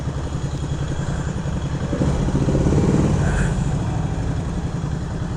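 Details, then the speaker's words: 1975 Moto Morini 3½ twin after preservation work, idling: even thump with light quick chatter, about three to four rattles a second, from the dry clutch, like a Ducati; normal, nothing wrong. "you can hear the dry clutch on it the dry clutch is uh makes a like on a Ducati it has a little bit of a chatter to it"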